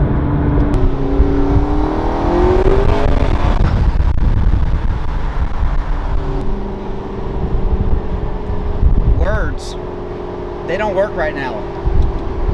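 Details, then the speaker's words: McLaren MP4-12C after repair of a strange knocking/thumping tick other shops said needed a new engine: smooth rising twin-turbo V8 note pulling past, turbo air rush, no thumping or ticking; healthy under load. "wow listen to this wow one of those turbos come on and you hear the air rushing through it's just sensational a McLaren it's a real super car"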